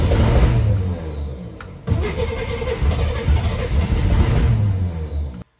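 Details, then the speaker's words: 1964 Chevrolet Corvair, seized throttle butterfly freed and refitted with new gaskets, exhaust fallen off so louder than normal: open-sounding cranking at about 200 pulses a minute with stumbles, nearly firing but not running. "at this point it's so close to firing up"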